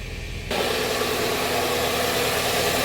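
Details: Hyundai Trajet with a cylinder 4 misfire (code P0304), after the fault codes were cleared: the engine settles into a smooth, steady idle with no misses; the misfire is gone and revs should drop as it warms.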